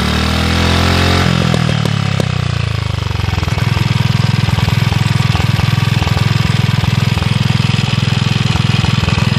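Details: Villiers Mk 12 stationary engine running on butane camping gas via a regulator: pitch dips as it settles, then a steady, even single-cylinder thump holds at constant speed with no misses.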